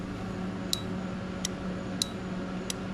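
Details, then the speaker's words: 1984 Honda Big Red three-wheeler with the gear selector in reverse: light, sharp ticks about every half to one second over a low hum as the reverse inhibitor relay switches ground to the gray wire; normal relay clicking. "you can hear this relay clicking and what it does is it takes ground from this contact on the gray wire"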